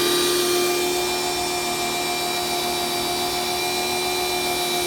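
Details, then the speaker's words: Kioles electric pressure washer, failed on second use: steady motor hum with constant high-pitched whine that never eases or shuts off as pressure builds; motor keeps running continuously without pressure cutoff, cause not confirmed. "but note that the mother has never turned off the motor keeps running continuously"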